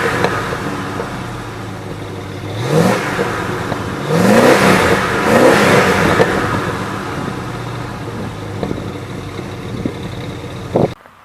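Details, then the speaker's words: 1966 Ford F100 short-bed shop truck, V8 with camera set down nearby, given a couple of clean throttle blips. Pitch rises and falls evenly, no knocks or misses. Normal revving. "We looked at the outside, we looked at the interior, you got to hear the engine. I revved it up a little bit for you guys."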